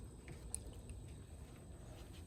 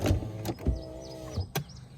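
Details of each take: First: 2004 Toyota RAV4 power window after refitting glass that came off its rail: motor hums in strained bursts, glass travels slowly, labouring and dragging in the channel, doesn't sound good going up; dry lube then applied to tracks; slow power window. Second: 2004 Toyota RAV4 power window after reseating glass on rail and applying dry lubricant to the tracks: short steady motor hum with a few soft clunks as glass travels and stops; window working, normal operation.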